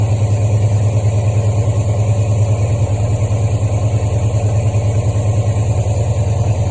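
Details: 1973 Mustang Mach 1 V8 with Holley 750 CFM 4-barrel, cold, choke on, fast idle cam number 2 position, 1200 rpm by tachometer: even steady beat, no misses; normal fast idle.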